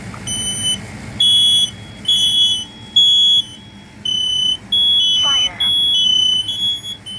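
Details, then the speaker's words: Kidde i12060A smoke alarm on an interconnected test board: loud high horn beeps in repeating groups about one per second with clear pauses; normal smoke alarm test. "This third alarm we're going to test is the KDA I12060A."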